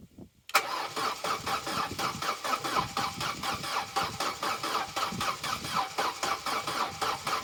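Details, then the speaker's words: Corsa B that sat neglected for 4–5 years, battery at 12.4 V: the starter cranks at about four beats a second with an uneven, lumpy rhythm, slow on one stroke then quick on the other three. Spins faster than before, but it never fires. "that's interesting because that sounds a little better it's still doing that thing sort of being slow and then doing the other three quickly but that does seem to be spinning faster"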